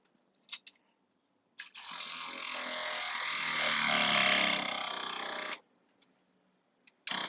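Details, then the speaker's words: Newly installed pop-up camper water pump with short new line, first test: steady buzz with a fast even rattle for about four seconds, then cutoff as it reaches pressure while purging air; normal operation. "Okay, heard it get up to pressure there. There we go. Get some of the air out of the lines."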